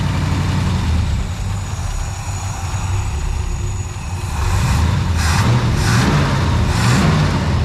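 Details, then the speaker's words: 1962 International Harvester C112 after Holley 2-barrel rebuild (leaking accelerator pump and clogged squirters fixed), with new plugs and wires: steady low idle, then clean throttle blips that pick up and settle without stumbling. Running well; idle needs slight adjustment. "go back here and listen to it she is a little idle take care of that right now beautiful beautiful running on"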